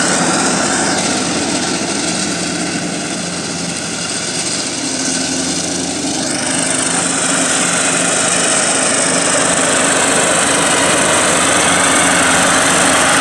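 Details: Cub Cadet lawn tractor cutting grass with blades engaged, also scraping the lawn and cutting low on one side: steady engine drone under load with harsh metal-on-metal rattling; worn, loose mower deck spindle bearings (baleros).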